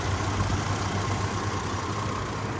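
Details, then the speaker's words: 2003 Chevy Trailblazer LTZ at idle after the PCM was replaced, battery charger still connected: the idle is even and steady, the earlier fan clutch ticking is gone and the fan clutch sounds quiet. Normal idle. "no no ticking I guess I can take turn the battery charger off"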